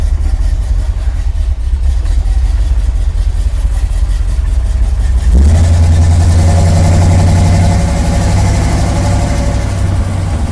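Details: 1979 Chevrolet Camaro automatic after replacing the modulator and freeing a stuck governor, road test: engine pulls hard to a sustained high drone with revs staying up and no upshift into second; still not shifting.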